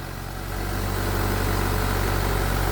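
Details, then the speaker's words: 1999 Mitsubishi Pajero Pinin/iO that cranked but got no fuel, after a high-pressure fuel pump fix, run with the bottom piece still off: smooth, even low hum with no misses or knocks; idling normally. "anyway let's see if it starts without the bottom piece oh my god it worked it's running like a"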